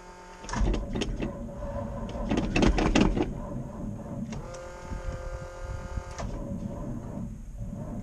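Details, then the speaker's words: 1988 GMC 6000, battery dead, on a booster pack charged about a minute. The starter drags slowly and unevenly and never catches, fading as the booster runs flat. Owner fears flooding. "I hope this booster doesn't die I hope it'll freakin start to hope I didn't flood it either"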